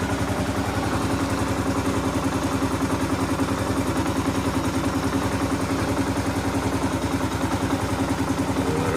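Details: 2015 Kawasaki KLR 650 single-cylinder, warm, after adjusting the choke that wouldn't stay open and caused hard starting: steady even thump at settled idle, no stumbles; idle now proper.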